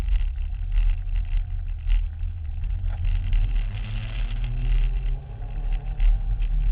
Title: Promotive R1 Mini Engine problem - Any ideas what it could be?